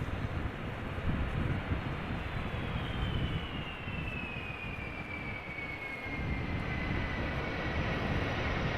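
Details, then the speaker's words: 18-year-old Delta Airlines Airbus A330 landing on Schiphol runway 18R (Polderbaan): steady deep jet roar with high whine slowly falling as it rolls out, engines at idle reverse rather than full reverse thrust; normal. "Now, this was idle reverse, because believe me, you'll hear it when they do apply reverse thrust full speed."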